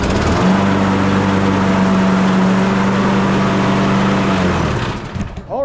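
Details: Craftsman push mower, Briggs and Stratton 190cc Quantum, after sitting four years and a service with new blade adapter, oil, carburetor, air filter and spark plug: runs smooth and even for about four seconds, shuts down cleanly; healthy running.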